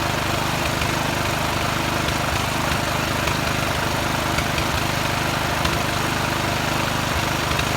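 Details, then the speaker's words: Poulan riding mower's small single-cylinder engine runs after carburetor removal and cleaning, a steady, slightly uneven low-speed putter. It smokes because oil ran into the head and exhaust while it sat tilted in the truck; spark plug cleaned. "start it up i'm gonna start it up now um it is smoking but that's because the exhaust got full oil my fault wasn't thinking"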